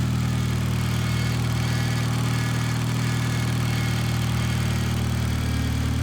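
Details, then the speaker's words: Built Mitsubishi Evo X, newly running after months of build: steady low hum with constant whine at idle; owner first suspected the timing cover side, now thinks the power steering pump, possibly low on fluid; unconfirmed. "Sounds like it's actually coming from the power steering pump. So originally I thought it was coming from the timing cover side, but I put my ear like closer up to the power steering pump itself, and it actually sounds like it's coming from that."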